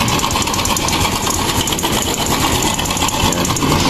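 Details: Honda Wave 110 / XRM 110 motorcycle idling with a loud, busy metallic clatter. A slack cam chain is suspected, and the fix is replacing the tensioner and chain guide.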